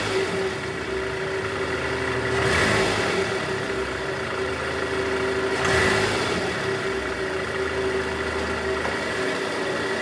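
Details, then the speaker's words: Toyota Estima 2AZ-FE, AC on, in gear, throttle blips, after replacing a worn loose balancer shaft in the oil pan: even idle, no harsh rattle or diesel-like clatter; engine now smooth and normal. "Udah nggak kasar lagi ya, suara mesinnya udah halus sekarang, udah nggak kayak mesin diesel."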